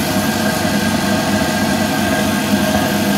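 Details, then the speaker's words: Air compressor feeding a DIY siphon-nozzle waste-oil burner, running after the air is shut off: steady motor drone with a constant mid-pitched tone under the roaring burner; quiet and building pressure normally. "right there's the air off and that off and that's the compressor running it's pretty quiet"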